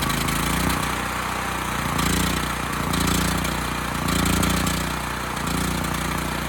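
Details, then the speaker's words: Homelite HG5000 generator, free unit with a bad stator and no power output: the single-cylinder engine, on a temporary fuel line, fires right up and runs steadily with a slight governor surge; the engine itself is healthy. "okay it runs pretty well there"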